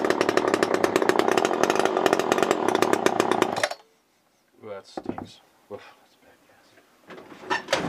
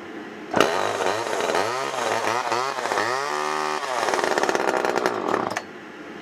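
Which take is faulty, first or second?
first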